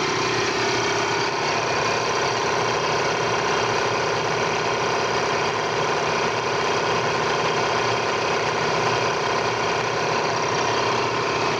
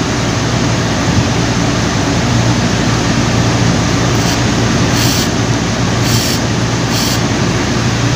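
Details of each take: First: Air compressor running with a steady, even hum after a belt replacement fixed its intermittent noise; gasket, oil, motor and bearing were checked first. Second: Air compressor running: loud, rough, steady drone at first start that fades after a while; worn belt slipping on the motor pulley.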